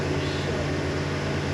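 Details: Freshly built big-block Chevy V8 on an engine dyno: steady, even low rumble with no valvetrain tapping; sounds healthy and smooth.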